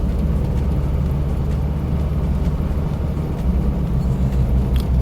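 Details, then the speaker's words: Diesel Mitsubishi Pajero automatic in normal D (drive): steady low diesel drone climbing evenly, gears changing smoothly with no high-rev flare between shifts; normal automatic upshifts. "गाड़ी गियर आराम से चेंज कर रही है और गाड़ी की आरपीएम पे हाई की आवाज़ नहीं आ रही।"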